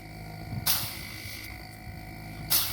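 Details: New LG single-phase linear inverter compressor model FLB075LBNA (R134a) bench-tested after replacing the original; quiet steady high hum with faint tones and sharp clicks; compressing, sounds healthy.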